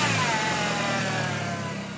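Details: 1.8T engine bay: high whine sweeping down in pitch as revs fall after a blip, tracking engine speed; power steering fluid checked and topped up, source still unknown.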